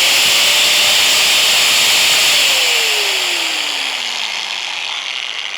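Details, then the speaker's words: DOLIZ BA730 angle grinder, 720 W, 220 V, 12,000 rpm no-load, run with no disc fitted and mic held close: smooth even high whir, no rattle or grind, clean coast-down; normal no-load run. "Sekarang kita akan coba dengar apakah suara gerinda ini halus atau tidak gitu ya. Jadi kita tes dengan tanpa memasangkan mata gerindanya, kita akan dengar suaranya."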